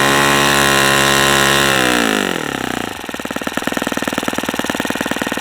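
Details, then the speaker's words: New OS FS-40 Surpass four-stroke glow engine on its second run, propeller fitted: sags from a high buzzing scream into a rough, sharp-edged rattle as the high-speed needle is accidentally leaned too far, causing knock at that rpm. "the other thing I'm doing by accident is leaning it out too much and it's starting to knock so it doesn't like that RPM"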